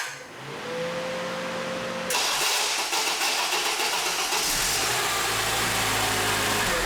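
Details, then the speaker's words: 2007 Honda Accord 2.4L VTEC, starter replaced about five months earlier: intermittent harsh metallic grind for a few seconds while cranking before the engine catches, pointing at the starter drive; cause not confirmed. "You turn the key, crank it over, and it grinds or yeah, I guess grinds would be the best noise coming out of the starter."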